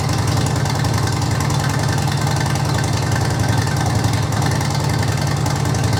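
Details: 2005 Harley-Davidson Electra Glide 88ci V-twin, about 2500 miles since rebuild, idling in neutral after oil service: deep, steady rumble with even lope, no tapping or rattles; healthy normal idle.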